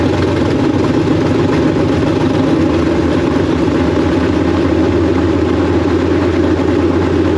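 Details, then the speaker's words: K5 Blazer/Jimmy V8 with a big cam, newly fitted Holley Terminator X EFI and injectors from an E85 engine: deep, steady, lumpy idle with all eight cylinders firing and no dead-cylinder miss while it self-learns. Normal idle. "okay we definitely have all eight now uh weird with the idling but it's kind of doing the self-learn thing"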